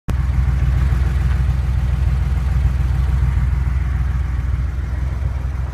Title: 911 engine knock 2